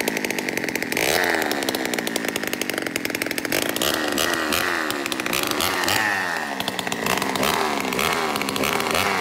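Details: Peugeot 103 moped with 70cc full Malossi kit, first start: two-stroke revs up and falls back unevenly, hunting instead of holding steady speed; running poorly, owner suspects ignition timing is off.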